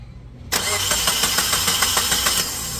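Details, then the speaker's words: Maruti Suzuki Wagon R petrol engine, hot restart after reaching about 92 degrees and sitting off for 20 minutes: starter cranks steadily about three turns a second for nearly two seconds before catching; long-cranking start delay, no check-engine light or fault codes, cause suspected in cylinder head valves. "यह start लंबा self लेती है पहले बार start हुई थी तेरी लंबा self ले रही है"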